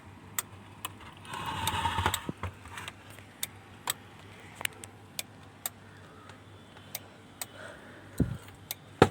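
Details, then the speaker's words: Denon AVR-2113 AV receiver stuck in protection with no sound: sharp isolated relay clicks repeat roughly every half second over a quiet hiss; the unit won't power on, and the 5.2 V supply drops with each click. "यह piece on नहीं हो रहा है। Relay की tuktuk की आवाज इसमें आती है। जैसा कि आप सुन सकते हैं।"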